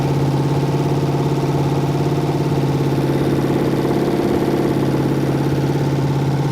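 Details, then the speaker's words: Ford engine on its first start-up, running hot and blowing coolant, with a 4100 carburetor from an F100: uneven loping beat with ticking top-end clatter as a rocker arm jumps off its stud, making it run rough. "Rocker jumped off. Thought I heard it running rough."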